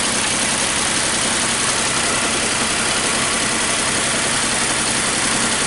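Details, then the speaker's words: 2014 Nissan Versa with P0303 misfire and rough idle, stalled while driving, number 2 coil already replaced; uneven loping stumble with constant hiss at idle; scope shows secondary-side issue, suspected faulty spark plug. "Looks like it's just a secondary issue. Could be just a faulty spark plug. Could be a faulty plug."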